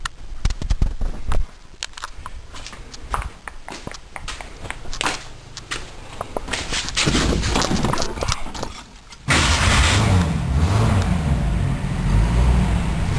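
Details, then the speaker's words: 1966 Ford Mustang V8, mic inside the car: several seconds of clicks and clatter, then it catches and settles into a steady, even, strong run with no knocks; normal start. "Here you can see that the engine's running pretty strong."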